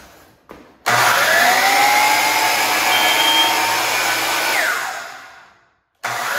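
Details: DeWalt DW717 miter saw motor runs up loud and harsh with a rough, hissy roar, then winds down; usually worn bearings (6302 2RSJ and 608 2RSJ), suspected, not confirmed.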